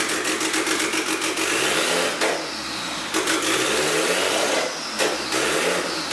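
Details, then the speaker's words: Honda EK hatch with a turbo F23 swap and a cam with VTEC lockout, running on its own for the first time and not yet tuned. The engine catches and rises and falls cleanly through several blips with a lumpy cam note; healthy. "but the car is actually starting and running on its own stays argument sounds really good you can definitely hear that cam in it with the VTEC lockout and stuff it sounds really good"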